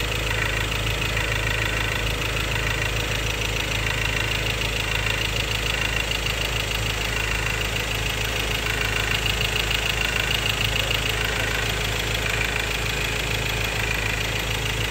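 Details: 2016 Ford Ranger XLT 2.2 Duratorq diesel, 4x2 manual: even idle with a regular clattering rattle about three per second; fuel knock or clogged injector suspected, unresolved.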